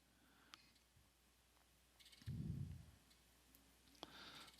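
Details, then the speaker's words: Keysight DAQ970A data acquisition unit scanning measurement points on an audio amplifier circuit, microphone moved near the unit: faint, crisp relay clicks roughly once a second in a quiet room, steady scanning pattern; normal relay switching. "I'll move the microphone over near the DAC 970 so you can hear the relay is actually clicking"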